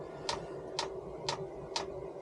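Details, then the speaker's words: Chinese 5kW diesel heater being fitted in a Renault Master van, priming the fuel line: crisp, even ticks about twice a second from the dosing pump; normal fuel dosing pump ticking. "well I don't know what I've done but I can hear the uh the pump pumping which is what it it does to"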